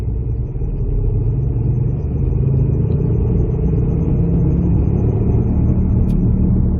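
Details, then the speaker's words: 2006-2012 Ford Fusion 2WD at cruising speed: a steady low drone and road rumble with a constant hum underneath, from a failing rear wheel bearing that hums once the car gets going down the road. "All right, this is how it's going to sound. Once you get going down the road, it's going to start humming, whichever bearing is actually failing."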